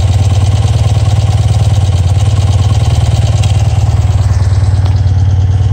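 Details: Twin-carburetor engine after final Harmonizer vacuum sync, within a couple millibars of zero: steady, even idle around 220 beats a minute, deep low thrum, no misses or hunting; normal idle.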